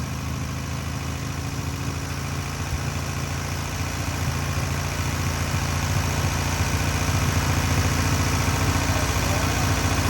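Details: Newly rebuilt air-cooled VW 1600cc flat-four on its first start and break-in: steady, even low rumble with a smooth beat that swells slightly toward the end; normal idle.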